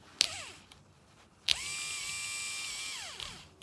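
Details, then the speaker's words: Replacement 12 V DC Valvetronic motor for a 2007 BMW 318i, bench-tested off the car with current applied to its tabs: short clicks, then a clean steady high whir for about 1.5 s that winds down smoothly. The new motor sounds healthy. "but if you listen to that one that motor sounds healthy that's the new one"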